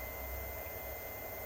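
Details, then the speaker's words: New variable-speed motor setup for a Myford lathe, run up to its highest speed on the dial; quiet even hum with faint steady high whine, no knocking or grinding; running normally. "And even at its high speed, it's very, very quiet indeed."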